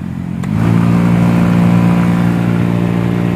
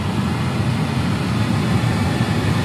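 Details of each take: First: Maruti Alto K10/Alto 800 cabin blower fan: fine at low speed, but above setting 2 it gives a loud buzzing drone with rough vibrating rumble, the dashboard vibrates and airflow is much reduced; worst at setting 4. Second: Maruti Alto K10/Alto 800 cabin blower, previously noisy and vibrating the dashboard above speed 2: after repair, on high it gives a steady, even rush of air with no rattle, buzz or vibration; normal blower operation.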